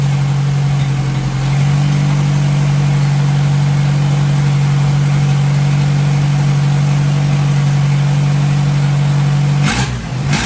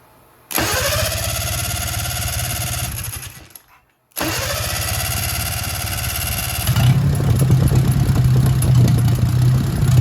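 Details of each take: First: 1957 Hercules flathead four-cylinder engine with magneto, just revived, oil topped up after being a quart low, antifreeze circulating, warm but not hot after over 20 minutes; steady even low hum, no knocks or stumbles; normal idle. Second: 1957 Hercules Power flathead four-cylinder with magneto: catches, runs evenly, then fades and dies, rougher after restart; owner thinks carburetor flooded a little, then finds it out of gas; stalling from fuel starvation.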